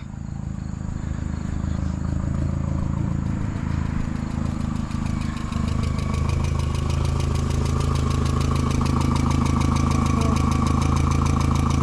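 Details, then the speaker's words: 2001 VW Jetta at idle: light, regular ticking about three per second over a steady idle, believed to be from the valves rather than the lower block; valve adjustment planned if it persists. "it's a valve worst case we'll just [ __ ] pull the top off and adjust the valves"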